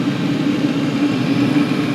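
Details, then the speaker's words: 5–8 kW diesel heater at full power, 22 ml pump, tuned with an AFR gauge: even, steady roar with constant mid-pitched hum and no pulsing or sputter, AFR stabilised near 15.5, clean burning. "I've let it stabilize it's sitting down near 1550 point two fifteen point five so it's really close to the 15 I was here before"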